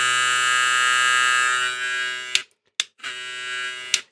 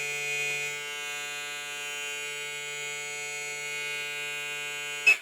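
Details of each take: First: Hair clipper with new Zircón blade: thin, steady buzzing hum cutting off and restarting in short bursts, pitched a bit higher than original; something moved, noise changes when the lever moves. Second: Hair trimmer model 001 fitted with a new Zircon blade set near zero: steady, high, even buzz with no rattle or chatter. Runs smoothly; the blade is compatible.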